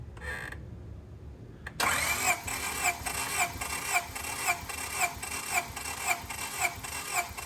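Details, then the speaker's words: Honda Civic SiR B16A freshly rebuilt, zero run time and zero miles, rechecking cylinder one compression (cylinders 225–226 psi, expected to rise to 240–250 after break-in); steady even cranking pulses under two per second, no clatter; normal cranking. "all right so now know that this has absolutely zero run time it hasn't even started yet and zero miles obviously"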